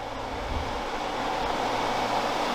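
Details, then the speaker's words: Toyota AE86 4A-GE, both electric radiator fans switched on during the swap of the raccoon-damaged radiator for a new one: steady even air whoosh, low motor hum, no ticking or scraping; both fans pulling air normally. "Got it plugged in, so we're gonna kick on the fans and make sure they're both working. Woo. Oh yeah, they're both pulling"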